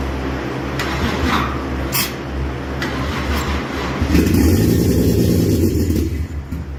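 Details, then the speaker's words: Toyota Chaser 1JZ-GTE VVTi, started by manually touching the starter relay (no 12 V feed to relay) with fuel and spark present: rhythmic starter churn, then engine catches into a low steady roar; normal cranking and start. "So this should start because we've got fuel, we've got spark."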